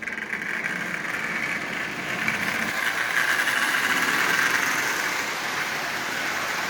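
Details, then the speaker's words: Lionel 8040 locomotive, nearly new with little runtime, motor just lubed and reassembled with added headlight, first test run forward at 50% power: steady even whirring hiss with gear rattle, no surging or grinding; running quite well. "As you see, that's actually running quite well."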